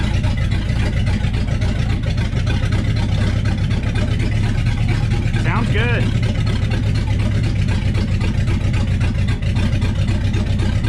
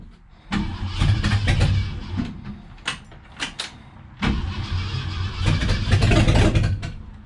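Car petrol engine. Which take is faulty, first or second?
second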